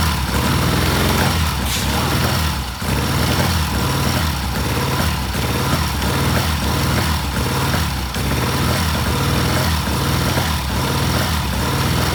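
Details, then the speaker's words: 1967 Triumph twin motorcycle (green and white) during ignition timing work, throttle being revved: uneven, lumpy beat with stumbles and dips, misfiring; sounds terrible and unlike the other day, cause unclear. "And yeah, you're right. It sounds terrible. Yeah, that is not how it sounded the other day."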